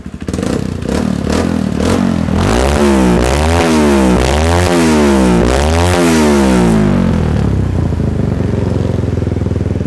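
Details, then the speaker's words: Single-cylinder motorcycle with Juken 5 ECU, rumble idle timing set at 1500-1250 rpm and normal mapping above: revved up and down in repeated blips, pitch rising and falling cleanly at the top; upper rpm runs normally. "ka digas RPM atasnya itu normal, karena kalian tuh kalau misalkan udah setting di rumble timingnya itu di angka 1500 sampai 1250 itu di angka selanjutnya kalian setting normal ya, jangan terlalu boros."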